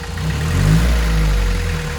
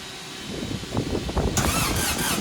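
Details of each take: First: VW 1.6 naturally aspirated diesel swapped into a Ranger, first start after rebuild with new piston and cylinder head following a shattered cylinder 1 exhaust valve: steady, smooth idle, warming. Leaking injection pump gaskets suspected of drawing air. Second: VW 1.6 naturally aspirated diesel swapped into a Ford Ranger, first start after rebuild with a new piston and cylinder head following a shattered cylinder 1 exhaust valve: after cranking, loud uneven clatter pulsing two or three times a second, vibrating far more than normal. Cause suspected, not confirmed.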